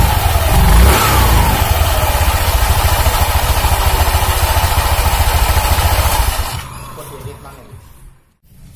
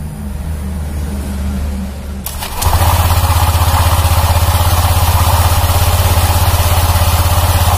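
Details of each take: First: 2019 Honda Vario 150 scooter, nearly new, whose CVT growled roughly when pushed and running: after the CVT fix it has an even, low pulsing drone without the harsh rattle. Smoother now, though slight noise remains. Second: 2019 Honda Vario 150 scooter, fairly new: after start-up a deep, steady snoring growl under idle from the CVT belt drive, also rough when pushed; worn CVT clutch or pulley, replacement recommended.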